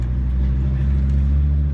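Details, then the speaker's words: VW T4 2.4 AAB diesel camper van driving at cruising speed after the low oil pressure switch was replaced: steady low diesel drone with road rumble. The oil light no longer flashes and the alarm no longer beeps around 30 mph. "Job done, guys. Well, as you heard, I've done it. Problem solved."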